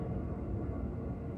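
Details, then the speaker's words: Boat trailer wheel hub spun by hand, rusty water having dripped from the bearing housing: steady low gritty rumble instead of a quiet free spin; dry, worn wheel bearing with damaged races. "oh does that sound dry to you and she's still spinning is that not a healthy one or not well I don't think it's too healthy"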